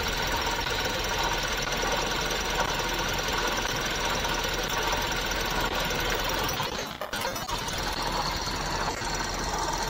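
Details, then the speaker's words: 2017 Toyota Vios engine idling: steady rough whirring and faint hiss, noise traced to a worn water pump bearing; auto tensioner also noisy; drive belt then removed to confirm. "Napansin natin na water pump Yung maingay"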